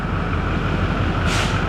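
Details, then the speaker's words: Newly installed diesel engine's first start, warming up to temperature: smooth, even idle with no skipping or misfire, a brief air hiss partway, quiet and clean, with a turbo whoosh. "nah she's fine she's not misfiring we'll check Power Balance later but I think she's good it sounds really good the engine's nice and quiet sounds super clean"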